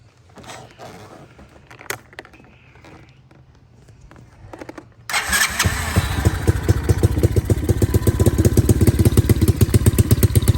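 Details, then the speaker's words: Cheap Amazon kids' quad with a small single-cylinder engine, after a carb mishap and throttle work: fires after a few seconds and settles into a steady, even thumping idle of about four pulses a second, sounding like a mini Harley. "when i fired it up i realized that it almost sounded it almost sounds like a mini harley"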